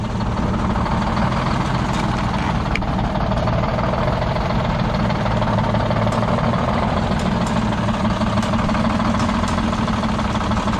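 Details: Detroit Diesel 6-71 two-stroke, last run before pulling: uneven, lumpy idle with a skip; one cylinder isn't firing, dumping out the exhaust.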